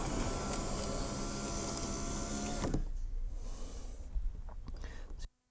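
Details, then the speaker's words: Rover 75 V6 power window regulator bench-tested on a makeshift power supply: motor whirs steadily, then changes note and labours near the end of travel before stopping; binding at the top of travel on this side only, cause not yet found. "you can see the issue I'm having there looks to be at the top of the travel of this one so can I figure out why that"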